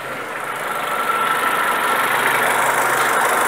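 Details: Renault Megane Classic petrol, warm idle: idle sits a bit low and wavers with slight rpm needle movement rather than holding steady, consistent with a carbon-fouled idle control valve.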